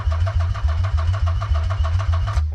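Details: Nissan 300ZX Z32 convertible attempting its first start after six months of work. Even cranking at about four pulses a second for over two seconds, never firing. Owner suspects the crank angle sensor is not seated, so the injectors don't fire.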